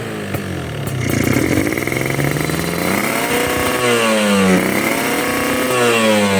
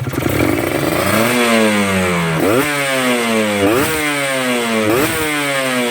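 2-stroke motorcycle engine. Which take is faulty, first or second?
first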